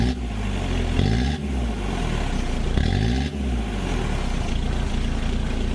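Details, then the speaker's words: Ford Courier WL turbo diesel cold start in summer, starting like it's in Alaska: uneven clatter, speed surging and dipping in the first seconds; rough cold idle, glow plugs removed for diagnosis. "you just seen how cold starts and that's pretty rough in it's not that cold a we're in summer and it's starting like like it's in Alaska"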